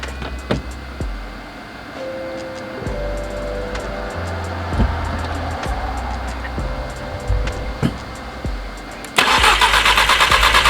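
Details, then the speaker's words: Exocet with the MAP sensor replugged, a couple of injectors unplugged and the charger on boost mode. A steady starter churn, partly masked by music, never catches; cranks without firing, and fully fouled spark plugs are suspected. "I mean, the only thing I can think of is the spark plugs are completely fouled out."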